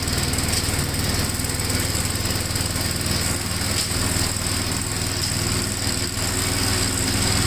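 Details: 1957 Gravely tractor mowing test: quick, regular popping beat, about four per second, steady under mowing load, engine pulling cleanly; runs pretty good, normal running under load.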